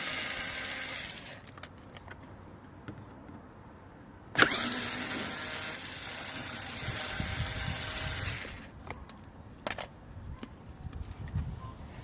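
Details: Volkswagen-group 1.2 TSI (VW/Skoda/Seat/Audi) with a defective starter motor, before replacement: after a quiet stretch comes a sudden harsh, hissy cranking burst of about four seconds that fades away. The starter is faulty.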